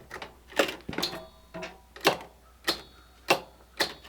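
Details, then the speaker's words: Hustler Raptor 42-inch zero-turn mower not cranking, after installing a new battery: sharp single clicks about twice a second with no cranking; new battery did not fix it, so the starter solenoid under the seat is replaced. "nope that is not the issue all right onto the solenoid"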